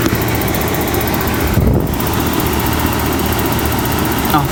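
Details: RV furnace after loose rattling parts were tightened and zip-tied and reset: loud steady whooshing hum with even motor drone, no rattle or knock; blower running smoothly.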